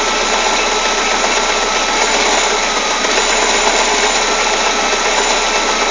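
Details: Citroën Saxo 16v engine at idle with a fast, uneven metallic rattle, roughly four per second, sitting high over the engine; source unclear: abnormal engine noise at idle.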